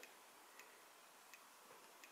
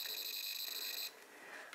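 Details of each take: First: Amiga 1200 rev 2B motherboard with a red RGB fault: an audio logic probe on the DAC side of a failed 68-ohm resistor gives near silence with sparse faint ticks, about one every half second, while the Lisa side has pulses. Hardly any signal passes. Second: Amiga 1200 Rev 2B motherboard with an RGB fault: a logic probe on the resistor beside bad red register 7 gives a steady high tone that then drops out, showing pulses on that red RGB line. The signal is good.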